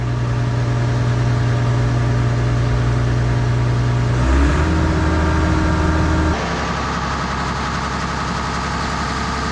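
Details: Case 170B excavator with a Deutz diesel, first start in a long time after a turbocharger and exhaust overhaul, stop lever pushed in and a little throttle: it catches right away and settles into a steady, even idle; normal diesel idle.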